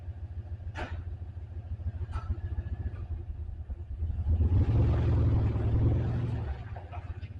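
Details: Turbo 5.3L LC9 LS V8 shop truck after new ECM and tune: deep idle with uneven loping beat and stumbles like a dead cylinder; misfire, suspected piston failure in cylinder 7, unconfirmed.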